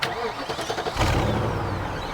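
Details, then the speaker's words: BMW X5 (X5iS) cold start, not revved because cold: starter whirr, quick catch, then smooth very quiet steady idle, no knocks or rattles; owners not concerned about timing chains. "that's quite quiet now actually it's very quiet i'm not going to rev here because it's cold"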